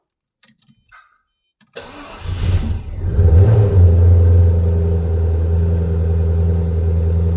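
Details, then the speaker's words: Maserati 3200GT, engine first start after repair using spares from a Citroen Xantia: a few clicks, one firm crank, catches quickly and settles to a smooth steady idle; normal start. "Oh. Right, it works."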